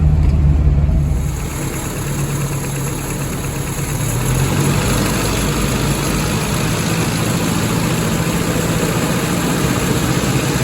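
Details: 1977 Toyota Pickup/Hilux Chinook, 20R engine with Weber 32/36 carb, fuel pump recently replaced: irregular, stumbling beat as revs settle and climb; misfiring at higher rpm, with backfiring issues.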